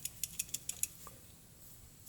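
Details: Old PCV valve just removed from a Honda Pilot during a tune-up for smog, shaken by hand: six crisp metallic clicks, about six a second; the plunger still rattles freely, so the valve works, though it is replaced anyway.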